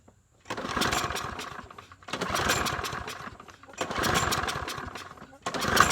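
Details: Troy-Bilt 21-inch mower, 190cc engine, being coaxed with carb spray, air filter off: uneven surges about every 1.5 s, picking up then sagging; can't hold speed, cause unconfirmed.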